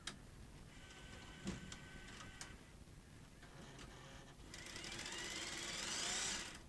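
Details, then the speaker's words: Sony SL-HF100 Beta Hi-Fi video recorder, donated, on high-speed rewind: quiet tape whir turns into a harsh, buzzing rattle as speed rises; broken reel table, likely the supply one, with eject also faulty. "let's try highp speed rewind oh it sounds awful doesn't"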